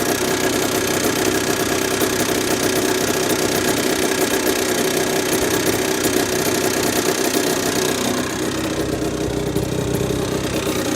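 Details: Honda NSR50 two-stroke with bored-up cylinder (Daytona 62.9cc, later stock-based 65cc): fast sharp ticking knock over buzzy idle, about four per second; owner suspects crank big end or balancer bearing, persisted after checking other parts.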